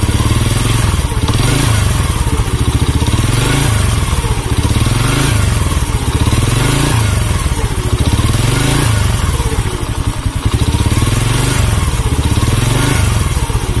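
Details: Honda C100 single-cylinder with a rough-sounding engine and weak pull: loud lumpy beat with a thumping surge about every two seconds plus clatter; cam chain and clutch opened up for inspection, cause not confirmed.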